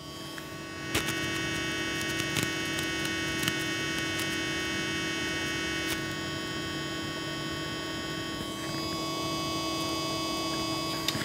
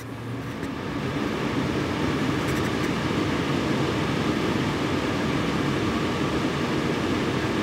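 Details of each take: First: Antec Vortex 360mm AIO liquid CPU cooler: constant, fairly low whine with thin high tones and faint ticks from the pump, which is whiny and annoying. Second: Antec Vortex 360 ARGB AIO liquid CPU cooler, fans at 50% speed on a Ryzen 5900: constant loud airy whoosh with a faint steady hum, no ticking or grinding; somewhat loud but healthy.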